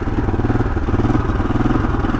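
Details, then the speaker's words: 1982 Honda XL500R single-cylinder motorcycle (carb changed), kickstarted cold with fuel and choke on; fast, even thumping about fourteen beats a second while warming on choke on a warm day, starting to miss before choke is turned off. "a warm day today so I won't need the car the choke for very long get here it's starting to miss"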